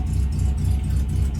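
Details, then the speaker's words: 1968 Morris Minor 1000 on its first start of 2023 after checking the leads: a low, throbbing idle, likely on all four cylinders, mostly steady with a slight wobble; much better than before but still not perfect. "I'm just gonna turn on the ignition again it's a whole lot better [Music] still not perfect"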